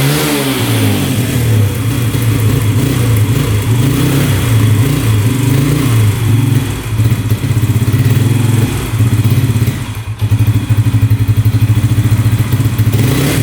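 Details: 2011 Yamaha Raptor 125 quad: it starts and runs fairly well with the choke on, but lumpy single-cylinder running surges and sags and won't rev out cleanly, stalling with the choke off. It is poor running, not a spark plug problem; cause unconfirmed.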